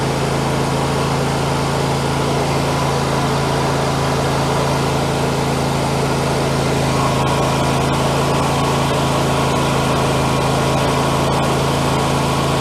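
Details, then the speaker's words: MTD 21hp lawn tractor, Briggs & Stratton V-twin once said to be blown, running at fast idle with heavy exhaust oil smoke: even, steady beat, no knocking, ticking or misses; internals sound fantastic, normal running. "well engine internals sound fantastic uh I don't know if that oil smoke would go away"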